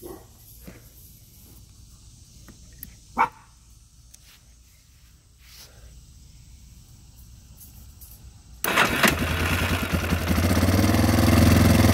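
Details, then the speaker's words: Yamaha Warrior ATV after replacing worn starter clutch bearing and gear that caused starting issues: engine cranks, catches at once and runs evenly with no grinding; normal start and run. "and it fixed the problem and I went ahead and got a spare starter clutch bearing as well so as you can hear now it starts"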